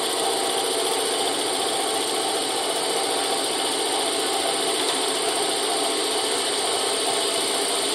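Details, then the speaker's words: Boring out a Moto Guzzi 250 TS swing arm worn by loose bushes, power feed engaged: steady even cutter hiss over constant machine drone, no chatter or squeal; clean normal cut. "we seem to be cutting okay, so I've engaged the power feed."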